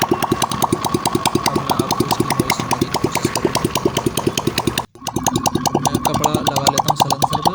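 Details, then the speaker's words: TVS XL 100cc engine idling after head/half-engine rebuild with timing and tappets set (tappets kept slightly loose), oil reaching head via working oil pump; crisp even exhaust pops about five a second, light tappet tick, no clatter: normal idle. "तो दोस्तों आवाज़ तो मेरे हिसाब से बिल्कुल set है, आपको भी सुनाई दे रहा होगा ठीक ठाक है आवाज़।"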